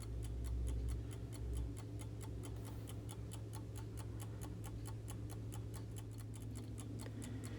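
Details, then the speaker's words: Vintage Coca Cola electric clock, repaired and reinstalled in its case, expected slightly louder: crisp even ticks about four per second over faint hum, steady beat; normal ticking. "see what it sounds like installed back in the case I'm sure it'll be a bit louder"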